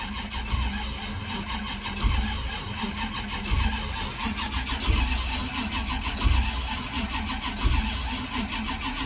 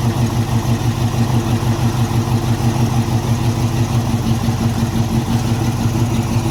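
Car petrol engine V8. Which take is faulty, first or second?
second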